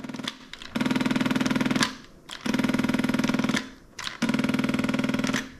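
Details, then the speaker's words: Beautural hand steamer, preheated, trigger pulled: three rapid, machine-gun-like buzzing rattle bursts with no steam hiss while the heating element warms; pump not priming. "Sounds like a machine gun or something. It's like like if you ever played the Jurassic Park arcade game where you're holding on the joystick and you have to shoot the the dinosaurs. That's what it feels like. It's not steaming."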